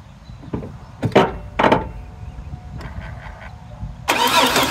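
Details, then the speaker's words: 2002 GMC Sonoma with 4.3 Vortec, sitting since 2017, rat-chewed wires and old fuel, spark uncertain: starter spins it over in short rough pulls with no catch, then a hiss; crank no start. "I don't know it'll turn over it's just not wanting to fire"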